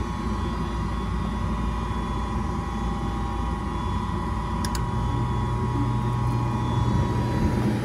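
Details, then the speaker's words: Goodman gas furnace induced draft motor on a no-heat call, jumped out to run: steady motor hum with a thin constant whine from slightly noisy bearings; not judged the cause of the no-heat problem. "That's just the induced draft motor. You're right, it's whining a little bit."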